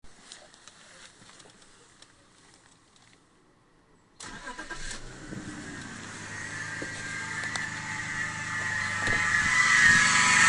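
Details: BMW E39 525i: after engine catches a thin steady whirring whine rides over the idle and grows louder; bad idler pulley.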